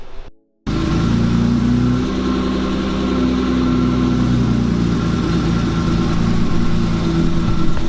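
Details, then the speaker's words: BMW E30 first start after swapping to an upgraded clutch and pressure plate with stainless clutch line: engine catches and settles into a steady, smooth idle with no grinding or clunks; normal. "so now we are just going to fire it up and make sure that there's no horrible sounds or anything and then we'll get this thing back in the ground and hopefully we'll take it for a little rip see how she does"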